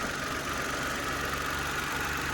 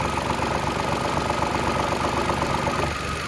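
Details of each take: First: Mitsubishi Mirage after fitting rubber bushings to the air filter housing: the small petrol engine idles evenly with a steady hum and no rattle from the intake, even with the AC compressor running; the housing previously vibrated loudly. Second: Mitsubishi Mirage at cold idle with a light plastic clacking about four times a second that stops when the air filter box is held; loose housing on its rubber mounting bushes, fixed with new grommets.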